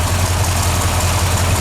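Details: C30/383 stroker V8 first crank after flexplate replacement, timing roughly set: low, steady idle pulse with an even beat and no tapping or skips; normal idle.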